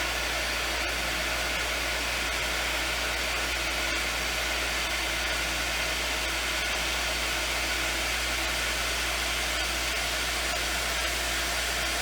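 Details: Lodge water-system pump, reinstalled after its frozen impellers were freed and now supplying the bathrooms: steady, even hum with a rush of flowing water, no surging or sputtering; running normally and delivering water.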